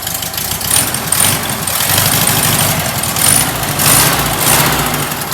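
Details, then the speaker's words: First start of a freshly built stock VW air-cooled flat-four on an old H case; even, chattery idle with a raspy tailpipe note and no knocks or misses. Runs healthy. "Runs good, man. It's a good stock motor. Yeah, it sounds good."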